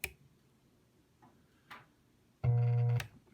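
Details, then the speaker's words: Sharp pop at switch-on, faint ticks and a short buzz but no real output from a Fender Frontman 65R amp; about −40 V DC appears at the speaker output at power-on, possibly after a loose AAA battery shorted something inside. "but as soon as i turn it on it spikes so i have a negative 40 volts coming in to these speakers"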